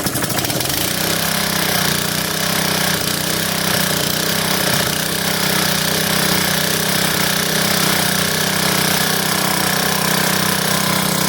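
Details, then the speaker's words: Honda-powered plate compactor after no-start diagnosis, oil topped up with 30-weight and belt removed: the engine fires within a second and holds a steady, even beat at high throttle with no misses. It runs normally. "and there you have it it runs"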